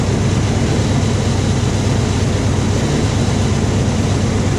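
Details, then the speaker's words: Old Toyota 4Runner engine after both coil packs were replaced: runs steadily but with an uneven, stumbling exhaust beat and occasional skipped pulses, smooth only for about a second at a time; misfire persists. "okay we've replaced both of these coil packs and we've still got a miss notice that if you can detect that maybe if the mic was closer you could it will run smooth for a short time very short time maybe a second"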